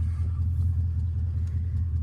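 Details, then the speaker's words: 2002 Mercedes S500 V8 salvage-auction car, first run after non-start (listed mechanical damage, starting fluid tried); deep, smooth, even burble at idle with no knocks or misses; normal idle. "She sounds healthy. Idling it, just that's perfect."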